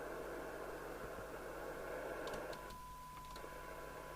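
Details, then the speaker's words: Audioline PT340 CB27/81 UK FM CB radio on receive test, signal generator on 27.79125 MHz after removing an illegal 80-channel modification: steady loud hiss with a thin test tone barely rising above it; receiver sensitivity currently weak. "but at the moment it's not very good at all it is doing"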